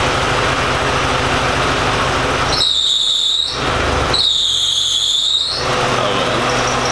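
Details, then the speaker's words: Porsche 944 after an engine swap and a gasket fix that ended its running on three cylinders, warming up: over a steady-running engine, a shrill squeal comes twice, about a second each, sagging slightly in pitch; unsure whether it is a belt or the fan bearing. "there might be a board in the way yeah not sure if that's a belt or maybe the fan bear"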